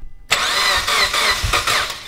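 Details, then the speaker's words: Mitsubishi Evo X with freshly rebuilt engine, intake air temp sensor code cleared: silence, then the engine coughs, catches and surges unevenly; hard start, finally fired after about five tries holding the throttle pedal to the floor. "all it was is I had to hold the gas pedal all the way down to the floor and hold it you look really out now after about five five tries it started up"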